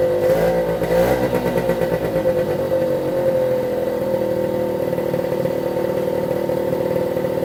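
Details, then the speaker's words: 1973 Suzuki TS50 two-stroke, first start after a full restoration, started in one kick with the choke on: a steady, high buzzing idle that settles quickly; normal idle, though there is air in the oil pump lines to bleed. "that that's it starting one kick quite pleased with that obviously the oil pump is pumping but there's there's air in the lines"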